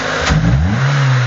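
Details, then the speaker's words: 2000 Renault Laguna 1.6 L petrol, after motorized throttle body position relearned, engine running: clean, even throttle blips rising and settling smoothly back to steady idle, no popping or stumbling; normal revving. "Okay. Donc on donne des coups d'accélérateur. Tu peux donner quelques coups encore. Okay. C'est parfait."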